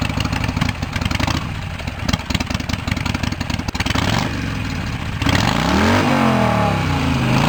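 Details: Cub Cadet 1650 4WD garden tractor build, warmed up: loud sharp crackling popping off idle, then rising and falling revs, raw and unmuffled; straight pipe without baffle, owner finds it too loud and plans to tame it.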